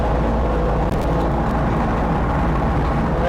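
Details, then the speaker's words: Viking 130 aircraft engine with propeller, run during coolant burping: it starts first crank and runs loud, steady and smooth with no misses, at about 1640 rpm, fuel pressure 44, oil pressure 66, gearbox 83. Normal running. "I'll be darn it started right up the first time"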